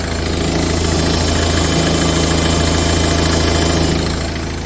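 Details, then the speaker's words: Talbot Express with converted 2.0 HDI Peugeot DW10 diesel, 20 psi boost, tuned: steady idle, much quieter than the original engine, with an even ticking hum from the high-pressure fuel pump on top; normal pump noise. "It's very quiet compared to original tool bits. It's a massive difference. But you can hear that fuel pump."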